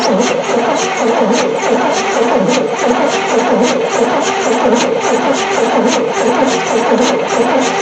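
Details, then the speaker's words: 1973 Chevy C10 squarebody, not run for 27 years, battery cables just tightened, hand-fed fuel, spark seen earlier, compression audible: steady, even cranking chug throughout with never a firing stroke. Cranks but won't start; cause not confirmed. "It's not even trying. Alright, I guess we'll check again, see if we got spark."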